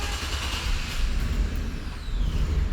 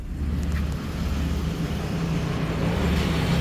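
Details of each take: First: 2013 Chevrolet Express van, V6, in for no start: steady, even starter churn with no sign of catching, a far too long crank; mechanic doubts fuel, no RPM signal seen. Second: 2013 Chevrolet Express V6 van running again after over a year of no start, likely due to a blown fuse: steady, even low rumble with no knocks, misses or stumbles; normal idle.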